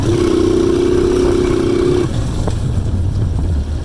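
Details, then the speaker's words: Alpha Delta moped after cylinder replacement; previous choking, misfiring, ringing knock and smoke gone; steady engine note holding constant pitch then easing off smoothly with no knock or misfire; normal running. "І саме головне, що дзвін і стукіт пропав і дим тоже немає."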